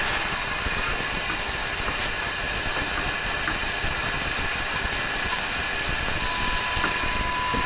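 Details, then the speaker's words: All-original 70-year-old Canadian RCA A-32 Globetrotter radio on the 19-metre band, fed a signal generator tone; hiss and static with the tone barely audible, so reception is weaker than expected. Some static comes from the microphone. "there so I would expect that level of signal from the signal generator to be a little stronger"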